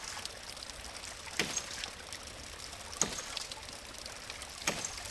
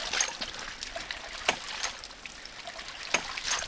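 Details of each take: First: 1" ram pump with a cracked pressure-tank cap that let all the air out: sharp water-hammer cracks about every 1.5 s over trickling water, drive pipe cracking and bouncing; the pump is hitting hard with no air cushion. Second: One-inch off-grid ram pump (7 ft input head, about 35 ft lift) after air is restored to its pressure tank, whose cracked cap had let the air out: soft trickling with light clicks and no hard hammering jump; normal cushioned operation.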